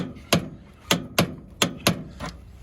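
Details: Yellow Jacket torque wrench on a flare nut, Fujitsu 9k BTU ductless mini-split install, cramped space by a fence: five or six sharp clicks about half a second apart as the wrench breaks over at set torque, as it should.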